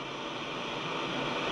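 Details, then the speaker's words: Grundig Satellit 800 receiver, returned by buyer, running on AC adapter: steady even white-noise hiss with no hum or whistles; normal noise floor for a sensitive receiver. "you can see there's just a a white noise that you typically would find when you have something plugged in and and you and you're going to get this on any receiver that you have"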